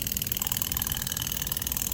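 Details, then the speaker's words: EVAP canister purge valve commanded at 10% duty cycle via scanner actuator test at idle: quick, regular light ticking and popping, most exaggerated at 10%; circuitry passes, solenoid suspected mechanically failing/sticking, needs replacing. "let me back this up a little bit you can hear it back it down at 10% it's most exaggerated and you can hear that popping"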